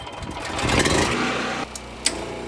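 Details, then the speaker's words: Heat pump compressor (9 A running) on generator: engine labours and bogs under surge, clunk as power drops, 31 A, 84 A peak; compressor stalled, never started. "Okay, we got to 31 amps and 84 amps peak, but it was just loading down the generator. The generator didn't die and the compressor didn't start."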